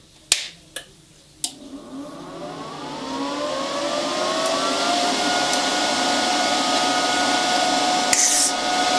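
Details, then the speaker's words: Titanium Unlimited 200 MIG welder, Harbor Freight, during gas-flow test with argon: a few clicks, then a whir climbing to a loud, steady cooling-fan rush; normal, just loud. "hopefully you can hear the titanium can be a little bit on the loud side with the fam"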